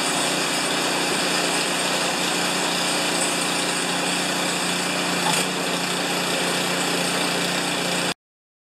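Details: Craftsman 824 snowblower, 205cc 7hp engine (reported won't start or won't stay running), after carburetor rigged, primed and manually choked while hanging: steady even run at constant speed, smooth rapid beat, no surging or misfire, ends abruptly; normal running.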